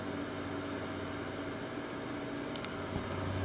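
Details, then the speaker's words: Restored 1912 Westinghouse three-speed table fan running: a steady, even hum with a low whirr and no knocking or rattle, the blades spinning straight without wobble. "if I turn it on here you can see that it runs pretty straight and the blades are not wobbling back and forth"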